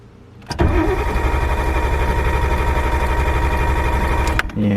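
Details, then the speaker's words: Car that has sat little-driven with hard starting and poor idle: the starter cranks slowly at about four pulses a second and the engine doesn't catch; the ECU is heard clicking. A flat battery; it idled well after a jump start. "that sounds like a flat battery which kind of makes sense I don't really drive this thing too much"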